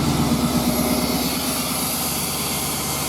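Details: Suburban with newly installed bored 46mm TBI throttle body and fuel pressure gauge, hot day, first start: steady, even idle with regular low pulse, no stumbles or tapping; no leaks, idling cleanly.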